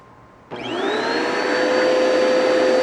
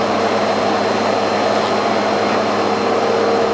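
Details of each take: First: Bissell Powerforce Turbo vacuum with a burnt-off brush bar belt and uncleaned canister: motor spins up sharply with a steady whine and a high whistle that climbs then holds; airflow choked as the intake plugs up. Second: Bissell PowerForce Turbo vacuum after fitting a new brush belt and clearing wound-up debris: steady even motor roar with constant high whine and no knocks or scraping; runs normally, just needs cleaning.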